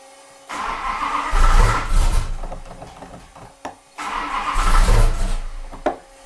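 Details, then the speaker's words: Max Wedge Mopar V8 on a dyno, no load: two cranking bursts fire briefly with uneven coughs then die; fails to start, timing suspected off because the distributor may have turned. "timing's off can't be man I mean did the distributor turn try it again ready"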